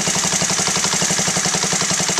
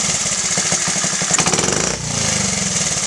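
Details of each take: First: Honda Z50A after carburetor clean and rebuild, pilot screw adjustment: small single popping at quick idle with even fast beats, starting to stumble as the pilot screw is turned off its sweet spot (settled at 1.75 turns); idle stumble from pilot screw misadjustment. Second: Honda Z50A single after carb clean and rebuild, pilot screw set to 1.75 turns out after trying 1.5 and 2: quick, even putter settling into a steady idle, sounding better; normal idle.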